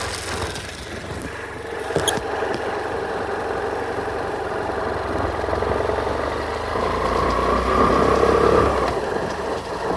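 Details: 2018 BMW F800R motorcycle idling with a light, regular rattle of about four beats a second over the exhaust, from a rattling drive-chain guard.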